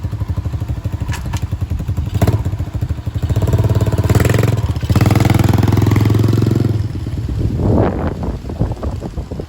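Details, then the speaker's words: Dirt Master 110cc pit bike, fresh fuel, being ridden: small single revs up and down with crisp steady firing, no misses or rattles; running fine, though owner notes it won't shift up, possible gearbox problem. "it sounds nice now we've done that"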